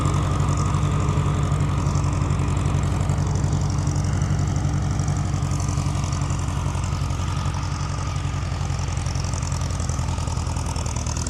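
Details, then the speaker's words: Farmall H row-crop tractor, started and warming: slow, heavy idle thump with uneven beat and pulses dropping out; misfiring, owner suspects a dead spark plug, plugs to be pulled. "yeah, she's definitely got a dead plug. I've never heard her run like that before."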